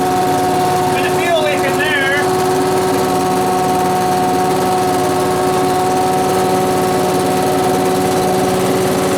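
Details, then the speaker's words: Small two-stroke blower started indoors: steady, even buzz with no misfire or stumbling; normal running. "woo working now I say it's working"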